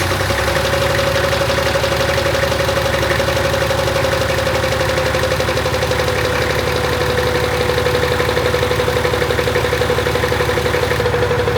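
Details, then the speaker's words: Nissan Patrol with a replacement TD42 diesel (the previous engine had cracked pistons and head), first run after 3 years unused: idling with a steady tick-knock of about three per second and a faint whistle; abnormal noise, cause unknown. "all right well we can't figure out the noise at the moment but we're going to call it here it's uh running and driving yeah doesn't sound very good but just yeah that noise if it wasn't for that noise it would sound perfect"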